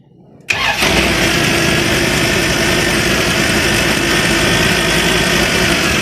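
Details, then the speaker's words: Van after a new carburetor install: the engine catches immediately and holds a steady, even idle with no stumble. The distributor cap is shaking. No tailpipe smoke now, versus white smoke before, when the owner feared a head gasket problem. "Distributor, it's like the distributor cap is shaking like this, but it sounds good. Oh my God, I really did it! And I don't have any smoke coming out of my tailpipe, which is a huge plus, because I was thinking that my head gasket was low."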